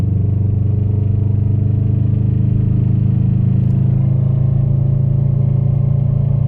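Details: 2015 Subaru STI on Rotella T6 5w40, rattle began after an oil change about 2k miles ago; ported manifold, catless downpipe, stage 2 tune; deep steady engine drone with a fine fast even rattle, source not pinned down.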